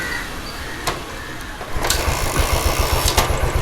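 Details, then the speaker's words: Royal Enfield Standard 500 fuel-injected single; fuel pump, fuel pressure and spark checked OK, MIL lamp stays on, bank angle sensor suspected; catches and thumps unevenly for a couple of seconds, then stalls; engine starts then stalls. "Start ആയിട്ടുണ്ട് വണ്ടി of ആയിപ്പോയി നമുക്ക് ഒന്നുകൂടെ നോക്കാം ഇതാണ് ഇതിന്റെ complaint എന്ന് പറയുന്നത് വണ്ടി ഓഫ് ആയി"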